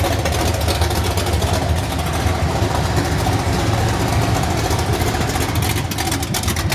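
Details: 383 stroker V8 with a Comp Cams XR282HR cam idling with a deep, uneven, loping rumble whose beats come irregularly.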